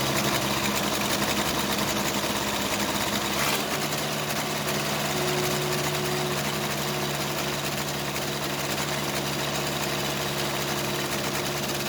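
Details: Case 580C backhoe diesel after valve adjustment; beat stumbles and changes as each injector line is cracked, second cylinder weak; owner suspects second injector, valve or piston rings, not the line: diesel misfire.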